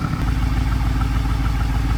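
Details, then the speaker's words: BMW 650i V8 after new spark plugs and coils: deep idle with an uneven, lumpy pulse, still misfiring. "Bro, I'm actually so sad that it's still misfiring."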